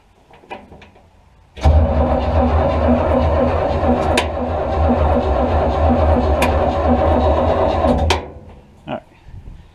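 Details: Buick 455 V8 mud truck, unstarted for about 10 years, fed from a boat tank through a small fuel pump: about six seconds of steady, even cranking with no firing at all.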